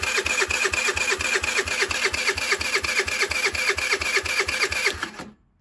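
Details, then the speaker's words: 2007 Diamo Retro 50 GY6 scooter with a new intake tube. The fuel petcock works and fuel is present, yet it won't fire. Even, rapid cranking pulses, about two a second, with a clicky metallic ring and no firing. Crank, no start; cause unconfirmed. "Well, it's not firing for some odd reason. Well, fuel petcock works. We know there's gas in the system, but it's not firing now."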